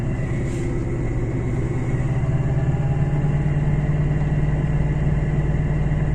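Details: Raised driven wheel (rear wheel chocked) spun by the running engine in 4th gear, in winter with possible snow and ice hitting the arch liners: a steady low hum that firms up after a couple of seconds. Likely a worn hub bearing.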